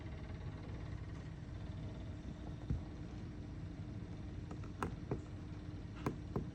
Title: Clicking sound from Bonaire evaporator